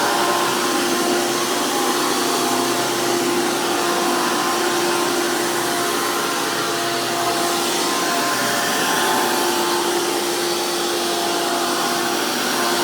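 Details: 2002 Hoover PowerMax II U5246-940 upright vacuum with 12 amp Elite motor, the noisiest Elite motor, after motor work: loud, steady high-pitched roar and airy rush from a 20-blade fan impeller, even tone throughout; normal smooth running.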